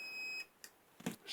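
A short, steady high beep cuts off into a few clicks; that is the booster's fault alarm with no battery load connected.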